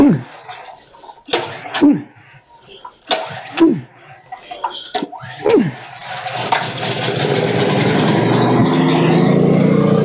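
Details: Engine after chemicals shot into the stuck valve, gasket and fuel line refitted, battery on charger: several short starter bursts, then it catches and runs steady and even with no knocking or misfire.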